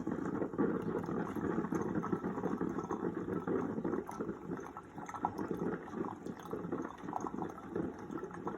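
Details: Ninja coffee maker after fixing the five-beep error by blowing air through the water line to clear an air lock: steady bubbling and gurgling as water heats and flows, brewing normally.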